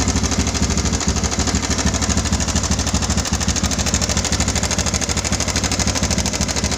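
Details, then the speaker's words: Yamaha Bison bobber engine at idle: harsh fast metallic chatter about three clatters a second over the idle; customer feared internal damage needing engine teardown, but the cause was only a failed cam chain tensioner. "Kendalanya ada suara gemericik di bagian mesin. Apakah penyebabnya?"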